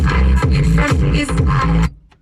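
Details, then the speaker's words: 2001–2005 Honda Civic front door speakers at volume 40, suspected blown, before replacement with 13 cm Pioneer units: music turns boomy and muddy, with rattling smeared bass and almost no clear treble, the distortion of a blown speaker. "Sanırım çıkabileceğim son noktada 40 Yani artık müziğin ne anlaşılırlığı kalıyor ne duyulabilir liği kalıyor iğrenç bir sese dönüşüyor"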